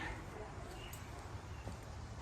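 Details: 2021 Toro Timemaster mower after recoil rattle fix (recoil cover studs hand-tightened only): low, steady engine drone with no clicking or rattle; normal running.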